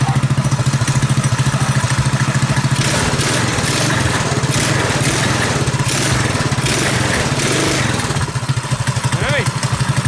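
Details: Predator 212cc single on a modified Coleman KT196 go-kart, timing advanced and exhaust repaired after crash damage, thumps along at an even, steady idle with no rasp or exhaust leak; sounds healthy and sealed.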